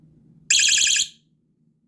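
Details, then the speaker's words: ABC electronic motion-sensing bike lock, 9V battery: a sudden loud, shrill warbling chirp of about half a second as a motion warning after a nudge; continued motion sets off a 15-second alarm, which is normal operation. "hin another 5 Seconds it'll set the alarm off and hold that for 15 seconds so I'll go ahead and show youall the alarm real quick I'll just warn you now it is kind of of loud so be aware that it uh may be [Music] loud"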